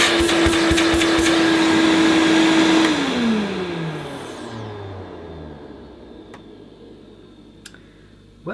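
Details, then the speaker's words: Hoover Portable Cleaning Center vacuum, American made, first switch-on after unboxing; even steady motor whine at constant pitch, then smooth wind-down, no rattles, quieter than owner's portable, suction good; normal running. "it seems quieter than the portable that I had the portables for my memory and the suction isn't bad at all either well it sounds pretty sweet to me"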